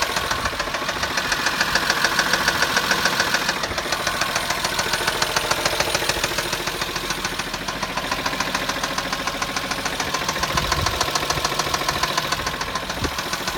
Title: Стук мотора на пацифике